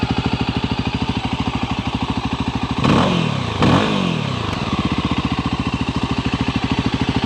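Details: Brand-new fuel-injected Voge 300 Rally single-cylinder motorcycle: quick, even idle pulse with two brief throttle blips that drop cleanly back to a steady idle; healthy, normal idle.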